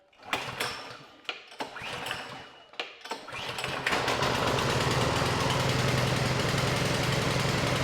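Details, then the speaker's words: Bolens 22-inch two-stage snow blower, Powermore 165-WU 179cc OHV engine, a no-start fixed by cleaning the carburetor. Primed, choke on, half throttle: a few recoil pulls, then it catches and runs steady and even with no stumbling. "Okay, so in a pinch, I was able to get this running by just cleaning the carburetor."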